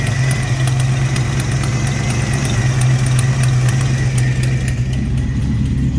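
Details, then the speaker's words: Supercharged 1991 Ford Mustang 5.0L LX Fox body at idle, moisture coming from the tailpipe: steady low rumble with sharp regular ticking; rough idle from a known exhaust leak, with a possible misfire or internal engine problem suspected, not confirmed. "okay we're gonna fire it up again Shane said there's uh moisture coming out of the tailpipe so let's check it out [Music] it sounds as bad as the other side"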